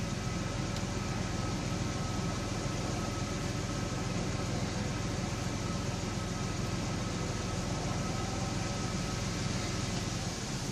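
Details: 2001 Blazer at low idle: slightly uneven, lumpy pulse with faint fan hiss; misfire counters stop when rpm rises a few hundred, suspected low compression in cylinder 4.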